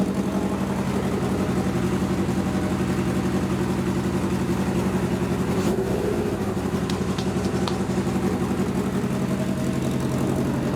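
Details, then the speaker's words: 1977 Suzuki GS750 on a test ride: steady, even four-cylinder drone with a smooth exhaust pulse and no knocks or misfires. Not perfectly tuned but rides fine; normal running. "right so as you can tell that test ride went pretty damn good uh i'm not gonna say that it was tuned 100 perfectly but it was definitely uh [Music] tuned enough to take it for a ride"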